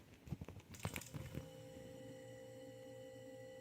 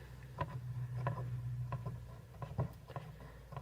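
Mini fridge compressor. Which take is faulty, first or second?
second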